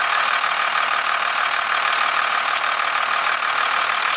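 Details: 1991.5 first-gen Cummins 12-valve diesel, cold start at about -10 with some squealing. A sharp, fairly regular rattling knock sounds about three times a second at idle. The owner cannot pinpoint the source; the knock or rattle is undiagnosed.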